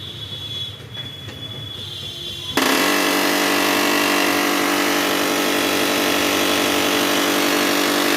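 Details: Canon imageClass 6030b printer, not working: a loud, harsh grating rattle starts suddenly and holds steady, pulsing about four times a second; abnormal mechanical noise inside the printer.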